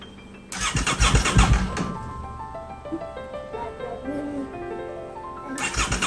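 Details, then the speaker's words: Crash-damaged 2023 Aprilia RS660 under rebuild, ignition on: no fuel pump priming heard, two short bursts of starter cranking, engine never catches; cranks but won't start because fuel pump is not priming. "Nothing. That's not good. I don't get a few pumping, so that's concerning."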